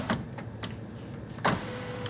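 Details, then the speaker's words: 2017 Mitsubishi Outlander front passenger door after window glass replacement: the regulator motor hums with sharp, irregular crunches and scrapes as the glass travels; leftover broken glass is in the door track. "all the way back up all right this almost sounds like there's glass in there doesn't it"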